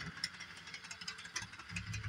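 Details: Repaired Bachmann Doodlebug model motor car running slowly at full throttle on 18-inch radius track; quick irregular ticks and clunks over light motor whir, rougher near end; pointing to cracked drive gear, owner suspects tight curve.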